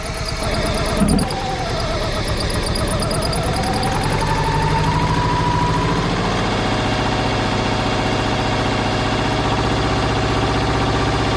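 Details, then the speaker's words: 1995 Plymouth Neon, low mileage, long-stored with old gas, treated with Berryman's: cranks and catches, then loud idle with slightly uneven lumpy beat; rough idle owner attributes to old gas, starting to clear up. "Little shaky. Like we said, y'all, that gas is old. Oh gosh. She's clearing up."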